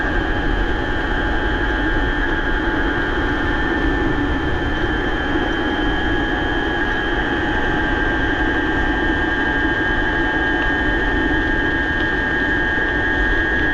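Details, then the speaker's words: BBS02 mid-drive e-bike motor after conversion to 72 V, with altered sensorless-start settings, riding 31 mph in first gear (42/32) under 1,000 W downhill: a loud steady multi-tone whine over a roar. The owner suspects something inside is out of place. "that was kind of downhill but this will loud though man this thing's crazy I don't want to scare people I that's crazy she's a screamer"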